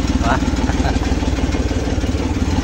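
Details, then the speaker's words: Rusco multicab that was hard starting in the morning, after replacing the whole carburetor: quick, regular low pulses at an even, smooth idle without stumbling; normal idle. "Okay na. One click na yan. Bukas malalaman pa yan kung one click."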